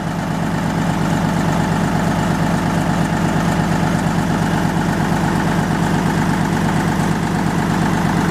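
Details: Lister JP3 crank-start diesel genset after water pump rebuild, test run: slow, even single-cylinder thump at about two beats a second, steady and unchanging; healthy, smooth-running generator.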